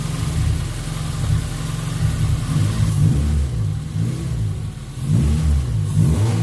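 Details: After cleaning and flow-testing the fuel injectors, the car that had run lean with a spike around 3,000 rpm since its first tune revs crisply through several blips and drops back evenly without stumble; normal revving, she's back.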